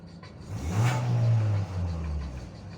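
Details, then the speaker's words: Hyundai i40 2.0 4GNA after full engine rebuild for piston knock and oil use, first drive, cat removed: quick clean blip to mid revs falling back smoothly, no knocks or rattles; healthy engine. "Смотрите, с ним нормально. Не стучит, не гремит."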